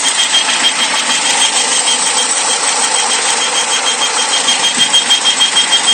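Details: 2001 Saturn SL manual at idle: thin high flute-like whistle pulsing about three times a second, seemingly from around the intake manifold; persists with the drive belt removed, cause not found.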